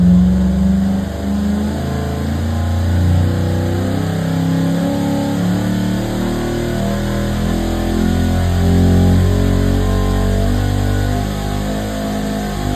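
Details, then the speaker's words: 534ci big-block Chevy on a water-brake dyno, a slower pull ramped at 300 rpm per second: the V8 climbs steadily and smoothly in pitch under load with no misses or knocks, its rate held back by the brake; normal pull. "Now again, slower. Was the engine struggling? No, actually when it loads it can get for for a combo like this."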